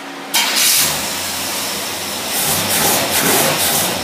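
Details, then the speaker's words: Holley double-pumper race carburetor in for rebuild, tested on a running engine: a rough, uneven bark and snapping on each blip, because the front jet is far too big and the rear jet far too small, so the carb must come apart. "You got way too big a jet in the front and way too small a one in the back. You hear it barking?"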